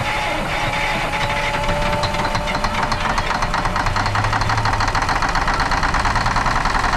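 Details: 1977 Peterbilt 359 diesel started after sitting 20 years, glow plugs possibly not working: loud, steady high-revving roar that won't drop back to idle; a diesel runaway.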